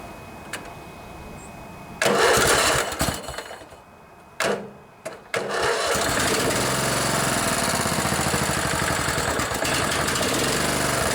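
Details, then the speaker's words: Craftsman LT1000 riding mower with 16 hp Kohler Command OHV engine, barn find, first start after a carburettor clean and overnight battery charge: a few sputtering cranks, then it catches and runs steadily, smoking a bit after long storage. "so she's smoking a bit that's all right hasn't been ran in quite a while"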